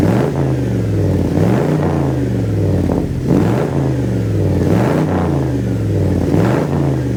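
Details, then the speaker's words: 1980 Dodge W200 5.9L Magnum V8, Holley 600 carb, at roughly 750–800 rpm idle, cold with thermostat not yet open, to run 99 ethanol gasoline: repeated crisp blips falling back to steady idle without stumbling or popping; running well. "okay we're down to about 13 at idle which is just a touch high but I'm going to be running 99 ethnol gasoline in this so it'll take a little bit more octane or a little bit more Advance she's running pretty good"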